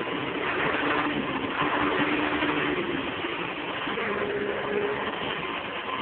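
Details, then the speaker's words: Hoover Convertible upright vacuum after brush roll bearings fixed and headlight cover secured: steady, even whoosh with no knocking, scraping or wobble; runs smoothly, normal running after repair. "it runs like a dream"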